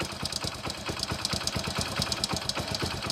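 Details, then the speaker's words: Bike with no white smoke from the silencer: fast, light metallic ticking rattles steadily over the idle, several taps a second, from inside the engine. The mechanic diagnoses a failed timing chain with valve sound. "మనకి ఈ బండికి timing chain problem ఉందన్నమాట. Timing chain and wall sound వస్తుంది, ఓకేనా. ఈ బండి timing chain పోతే మనకి ఈ విధంగా సౌండ్ వస్తుంది అనమాట."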